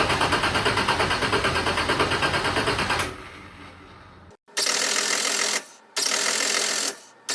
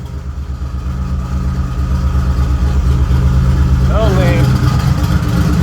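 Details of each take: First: Turbo Nissan Z31 with 240SX subframe swap and new exhaust, tune unfinished, not run in a while, started via jumped key switch: repeated second-long cranking bursts without catching; extended cranking, hard start. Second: Turbo Nissan Z31, earlier clip before the new exhaust: deep, loud, even exhaust pulse at idle that swells slightly and holds steady. Healthy normal idle.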